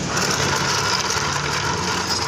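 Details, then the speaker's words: Suzuki Spin scooter: rough, gritty growl over steady idle with busy hiss, smooth when the clutch bell is removed, loud once fitted; worn, wobbling bearing area of the CVT clutch. CVT clutch bearing growl. "jadi kalau dipasang suaranya ngorok"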